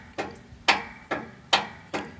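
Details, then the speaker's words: Yardworks 42-inch 155 series riding mower, dead battery (7.47 V) boosted to 12 V: five sharp dry clicks from the starter solenoid near the battery, no cranking, starter not engaging. "So we can hear the solenoid clicking, but the starter is not engaging."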